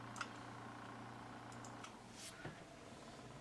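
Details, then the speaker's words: BitFenix Spectre LED PWM 140mm fan run at about 30% power (lower and it barely turns or won't start): very faint, steady low hum with no ticking or buzzing, practically inaudible while still moving considerable air; normal quiet fan operation. "now you can still feel a considerable amount of air blowing through it, but this thing is practically inaudible."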